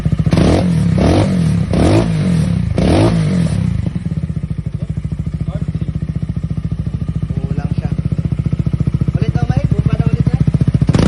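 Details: Engine after teardown and adjustment, fuel tank refitted, runs quiet: a few throttle blips then a settled, even idle with no loud clatter on top, now healthy; normal idle.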